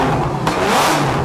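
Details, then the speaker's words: Supercharged flat engine, open exhaust without silencers, throttle blips: revs snap up and drop cleanly with no misfire or rattle; healthy engine. "Bon on va vous faire écouter un petit peu, il va mettre quelques coups de gaz."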